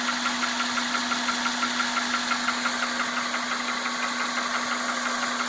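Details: 1998 Honda Accord 2.3L 4-cylinder VTEC, 160,000 miles: fast even ticking at idle with vibration; owner unsure whether a valve, a belt or the timing belt is the cause, and timing belt service history is unknown.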